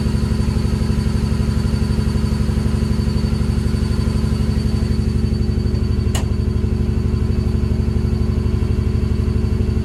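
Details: Ford Barra six-cylinder, just jump-started: rough idle raised near 2000 rpm with a steady lumpy exhaust pulse about four times a second, not cammed; vacuum leak at the intake manifold gasket.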